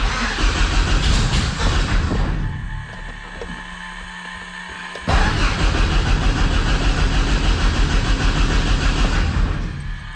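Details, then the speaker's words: Thorp T-18 homebuilt airplane, unrun for about six months, with fresh fuel and a new starter; on a restart attempt with throttle cracked it gives two spells of rhythmic starter cranking, about three turns a second, and never catches. "Let's give it another prime. Oh, she wants to run. She does."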